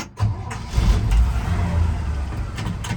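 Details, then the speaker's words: 1966 Chevy C10 Stepside pickup with manual choke, started in neutral with the e-brake on, a little cold-blooded but settles after a couple of minutes: brief starter crank, then catches into a steady, even low rumble; no strange sounds or smoke. "As we go around the back, she's running. You'll notice no strange sounds, no smoke."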